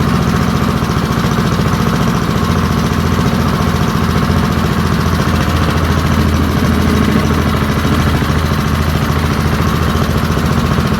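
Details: Early-1970s BF Goodrich push mower, a barn find that sat for years with a seized engine, now freed and running outdoors after carburetor diaphragm work: a steady, even single-cylinder putter at fast idle with no misses or knocks. Normal running.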